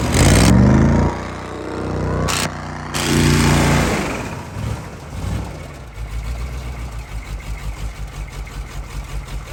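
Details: CUCV Chevy squarebody diesel restarted after blowing up: a rough, loud start then a rapid, heavy knock about three per second from a thrown rod, oil pan already holed.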